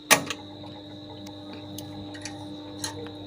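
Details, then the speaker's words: Table fan switched on: faint steady electrical hum and a click at switch-on but the blades never spin up. "Table ফ্যানটা problem হচ্ছে যখন এটাকে আমি switch on করছি এটা চলছে না, ঘ টাইপের সাউন্ড হচ্ছে কিন্তু চলছে না।"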